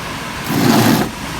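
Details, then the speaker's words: 23-year-old pool dehumidifier with 3D-printed fan barrels fitted: steady airy fan rush over a low compressor hum that swells briefly and settles; running reasonably well, owner slightly concerned the fan motor gets warm. "You can hear the noises it's making. It seems to be running reasonably well."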